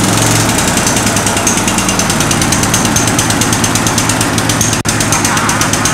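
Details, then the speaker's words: 1963 Bolens Husky 600 lawn tractor engine, first start after long storage: fast, high hammering with dense even firing; racing, likely stuck on choke (suspected). "it starts the engine sounds pretty good though it doesn't seem to be coming off choke very well it seems like a super revving a little bit"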